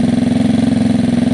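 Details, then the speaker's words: Gilera DNA 125 scooter after a carb upgrade, during air-fuel screw tuning: a steady, even low putter at about twenty beats a second with no misses or hunting; it runs much smoother already, ahead of a test run. "this seems much smoother already so I'm going to do the test run in a minute"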